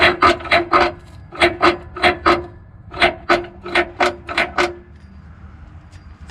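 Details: Citroen C4 Picasso, noise heard when pulling away and changing gears: rhythmic dry scraping about three a second from the exhaust pipe rubbing the underbody because its vibration-absorbing mounting pads had come loose; refitting them silenced it.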